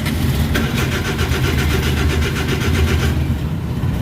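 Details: Suzuki DA64/DA63/DA17 with blinking dash lights, no transmission indicator lights, no ECM communication and code P0707: starter cranks steadily about three seconds but engine never fires; traced to a blown fuel injection fuse.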